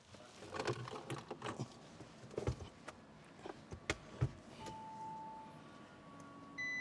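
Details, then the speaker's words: Fire-damaged Audi RS6 being rebuilt, first power-up after its engine repairs and rewiring: scattered clicks and clunks with no cranking, then a steady chime; no-start later traced to the starter and alternator wires being swapped. "So, I'm not going to lie. I was pretty annoyed when the engine did not turn on."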